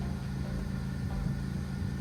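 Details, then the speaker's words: Ford Focus after dual clutch replacement with a new LuK kit, in park during the clutch relearn, no check engine light: the engine settles to a low, steady idle with no ticking, rattling or surging. Normal idle. "Now, we're going to let the gas pedal go. Let it settle to idle and then click okay."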